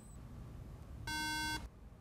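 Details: MacBook Pro A1286 won't boot, one steady half-second beep every five seconds at power-on, the RAM error warning; swapping RAM didn't fix it, pointing to the logic board.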